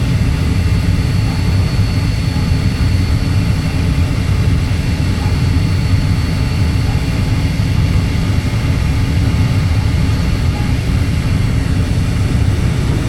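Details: Natural gas furnace with intermittent no-start, burner firing while outlet pressure is adjusted from 3.77 down to 3.5 in. water column; steady deep even roar with no surging, popping or rumble, burner firing cleanly.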